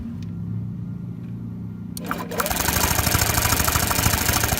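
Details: Honda Metropolitan scooter after replacing a fouled spark plug with a new one: quiet spell, then catches at about two seconds and settles into a quick, even putter; starts cleanly.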